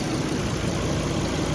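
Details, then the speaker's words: 2002–2004 Volvo S60 with an overheating and coolant-loss problem, idling with the AC on after a broken wire on the fan relay was soldered: steady, even idle under a constant airy rush of the radiator fan, now working normally. "So I haven't put that back in the harness yet with a little connector, but I plugged it into the circuit, plugged this back in, started up with the AC on, and I do believe the fan is working now."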